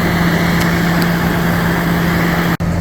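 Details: Coleman Mach ducted rooftop AC running after seal replacement, reassembled before the cover goes on: constant steady hum, low electrical drone and even airflow rush, no rattles or grinding; running smoothly.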